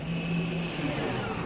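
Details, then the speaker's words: Mazda 3 rear electric parking brake actuators applying: short low motor whirr from the rear calipers about half a second, then settles, normal actuation. "Yeah, I they actuated. I I heard them actuate."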